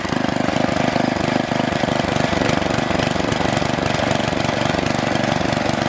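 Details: Troy-Bilt Super Bronco tiller, bought locked up, possibly stuck reels, now repaired with exhaust warm: small single-cylinder engine holds a steady, even chug with no knocks or misses; normal running.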